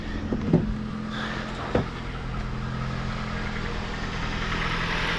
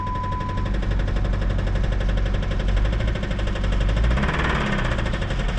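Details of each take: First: 2007 Jeep Compass after engine replacement, first startup after a really dead battery: steady, even idle with smooth low hum, no shake or misfire, a couple of light clicks early; check engine, ABS, airbag lights on; normal idle. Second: 2007 Jeep Compass (possibly 2008), about 156,000 miles, bought as running and driving, jump-started for its first crank: heavy, rapid, deep knocking about four times a second over a rough idle. Owner suspects rod knock, possibly a spun bearing.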